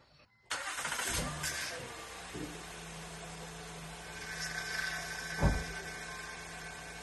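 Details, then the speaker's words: 2010 Honda Odyssey J35 3.5L V6 started after serpentine belt and tensioner replacement: engine cranks and catches, and a brief whine shows over the idle as the power steering pump sucks air before fluid arrives. "You hear the initial whining sound because in here there wasn't fluid. So initially it has to suck air before the flu comes in."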